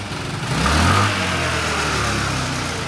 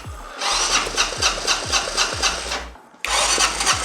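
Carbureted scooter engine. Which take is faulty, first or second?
second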